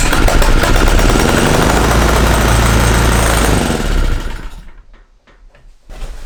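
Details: Small gasoline engine fed hydrogen from homemade water electrolysis cell and bubbler; rapid choppy popping about four seconds then stumbles and dies into scattered coughs; fires only intermittently, cause suspected not confirmed.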